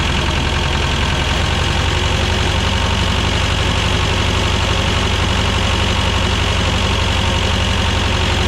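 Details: 1985 Belarus 250AS diesel tractor, revived after sitting for years: steady even clatter at constant idle, no misses or stumbles; normal running.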